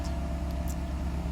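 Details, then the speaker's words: 1993 Mercedes 500SL, sat about 3 days, just cold-started: smooth, even raised fast idle that will settle to about 650 rpm as it warms; ASR light off, healthy idle. "But as you can see, ASR light is not lit, and we have healthy idle. After a cold start, it goes down. It'll take a little bit of time before it goes to about 650."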